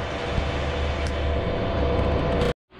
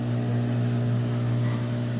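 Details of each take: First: Whirlpool Cabrio washer model WTW8240YW0, about 8 years old, getting louder by the day: deep steady rumble and low drone under the spin; worn tub bearings, fixed with bearing and seal kit. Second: Whirlpool Cabrio washer model WTW8240YW0, about 8 years old, in spin cycle after replacing tub bearings, seal and shaft: steady smooth low hum with no grinding, rumble or knocking, then winding down; quiet, healthy spin, bearing noise gone.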